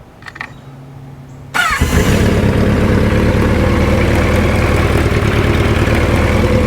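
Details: Vintage motorcycle, free bike stored outside for years without spark plugs, engine freed up and since ridden 3,000 miles and daily: quiet, then catches at once and settles into an even, steady idle with no misses or knocks; healthy.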